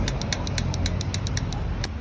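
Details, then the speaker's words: VW Polo with manual gearbox: sharp rapid ticking about five per second, uneven spacing, over steady engine rumble; lower engine clearances checked and found fine, source not yet pinned down. "Esse barulho, normalmente, ele é mais voltado ali que para trás, para parte da caixa de transferência ali."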